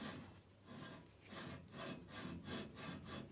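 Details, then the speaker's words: Logosol PH260 drive turned by hand during strip-down: dry rasping rub about 1.5 times a second; something rubbing internally, loose nuts and a heat spot found, risk of overheating. "something's rubbing over there we need to check that out otherwise we'll have something overheating or worse"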